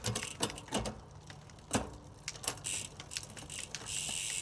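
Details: Surly Midnight Special gravel bike with a SRAM Apex/Rival 1x11 drivetrain. Crisp single clicks as each gear engages over a light chain whir, with no grinding. Shifting is clean.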